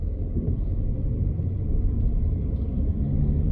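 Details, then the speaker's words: VW Caddy diesel driving after a solid single-mass flywheel and clutch kit conversion: a low, even, smooth engine hum with no knocks, rattles or clutch chatter, so driving sounds normal. "the engine's humming away nicely as you'd expect from one of these"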